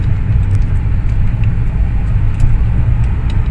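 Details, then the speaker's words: Ford Fiesta driving after front shock absorber replacement; the old shocks had lost their oil and their valves knocked inside. Now only a steady low road rumble with no knocks or clunks, so the front suspension is quiet. "โอเคครับเรียบร้อยนะฮะถือว่าเรียบร้อยโอเคเลยนะฮะเงียบหมดแล้วนะครับ"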